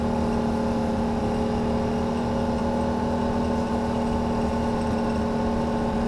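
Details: 2009 Can-Am Renegade: steady whirring whine at one even pitch, seemingly from the CVT housing rather than a CV shaft; fine a week earlier, temperature dropped 20 degrees since; cause unknown.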